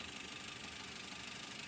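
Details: 2004 Toyota Avanza 1.3 G manual, about 20 years old, idling during body inspection: quiet, steady idle with an even soft pulse, no knock or rattle; engine idles smoothly and normally.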